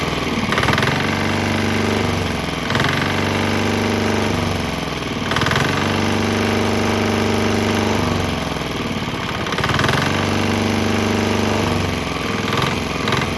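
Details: Swan X 165F Chinese single-cylinder diesel on 100% canola fryer oil with some leftover diesel, started right up; steady thump at fast idle with slow rhythmic surges of shake, running smoothly and sounding healthy.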